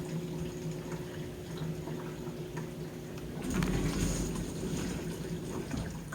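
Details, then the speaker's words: Samsung DW80R5060US dishwasher in diagnostic test mode, water fill test then spray arms testing; water splashing and sloshing over a low pump hum that picks up partway, no odd noises; normal water fill and spray arm operation. "And you can hear the spray arms are testing."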